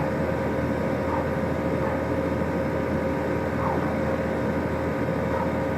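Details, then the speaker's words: New 2018 Rheem Classic 14 SEER central air conditioner outdoor condenser, first startup after replacing a 2006 Rheem unit with a freon leak; even, steady hum with smooth fan rush and no rattles, clicks or squeals. Normal running. "sounded really nice it startled"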